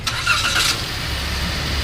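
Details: Toyota Rush that had no spark and a misfire on cylinder #2 (coil, spark plugs and wiring already replaced/checked), starting after the ECU/computer box is refitted: brief crank, catches at once, settles into a smooth, even idle with no stumble. Clean healthy start.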